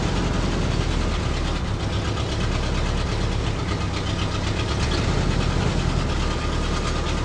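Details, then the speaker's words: 1965 Ford Galaxie 500 V8, first drive in about six years, breaker points resurfaced, died earlier when steering left: low, heavy, strained lumpy idle bogging down; owner suspects carburetor fuel/air mixture rather than vacuum leak. "it did die when I turned the steering wheel left earlier uh I hope that's not gonna be an issue kind of bogging it down now"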